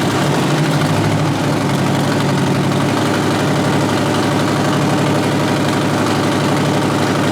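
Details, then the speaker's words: 1963 Peterbilt with an 8V71 Detroit two-stroke diesel, first start in a long while with no radiator fitted: a loud, even, fast-firing idle with a steady rhythm and no knocks or misses. It runs well and is quieter than expected. "Well, she runs. Sounds good too. Yeah. It's not as loud as I thought it was gonna be."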